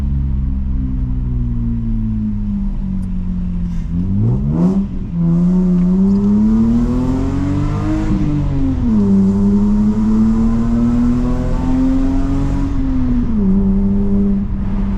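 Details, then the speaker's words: Lexus IS200 (1G engine) at its first true cold start after a DIY straight-pipe, decatted exhaust. Loud, raspy start that flares to a high idle and settles into a steady drone, with no knock or rattle. A normal cold start. "so experience for the first time a true cold start with the new um DIY exhaust"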